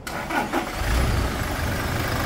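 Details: 2023 Toyota SW4 diesel after a frontal crash, with the radiator bent and leaking water; it was driven about 500 km. A steady, low diesel rumble at idle with an even beat and no knocks or rattles: normal idle.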